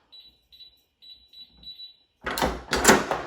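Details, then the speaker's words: Canon safe after replacing the keypad and controller board (the old keypad beeped non-stop): short high keypad beeps, then a solid clunk and rattle as the bolts throw; unlocks, keypad and lock working normally. "and we're unlocked and everything's working so there you go easy to replace the controller board and your keypad on your Canon safe if you have problems and this starts beeping like crazy"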